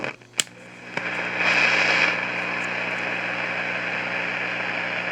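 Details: 1953 Crosley AM All-American 5 (AA5) tube radio, no antenna, tubes warming, radio/phono switch on back: constant low hum under loud hissing roar, no station; not silver mica disease, as pulling either of two parts silences it; owner suspects oscillator way off frequency.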